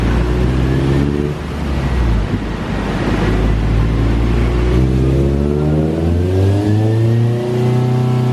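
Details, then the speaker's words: 2000 Honda Civic Si, stock B16A, on the dyno during a second baseline run: pulls hard with rising pitch, then briefly stumbles mid-rev before climbing again, reaching 150. Clutch slip suspected as the cause. "second run was 150 and it felt like the clutch slipped which is here you can hear it kind of hesitated for a little bit"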